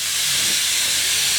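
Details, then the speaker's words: Injector pressure regulator (IPR) valve bench-tested with shop air, unpowered; owner believes the valve is bad. Constant sharp hiss of air coming out of what are believed to be the outlet holes: IPR valve air leak. "now shot bear is plugged in the air that you're hearing right now coming out of these holes which I believe are the outbound holes"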